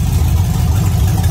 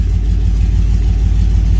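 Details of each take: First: V8 warming up near 193 degrees after a few minutes, no leaks: lumpy, uneven idle with occasional skipped beats, audibly missing; owner suspects low fuel pressure, not yet diagnosed. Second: Truck engine with newly installed Holley Sniper EFI throttle body, warm start, coolant at 201 degrees, IAC position reading low: deep, smooth warm idle holding a steady rumble with no stumbles, ticks or hunting; sounds way nicer, healthy.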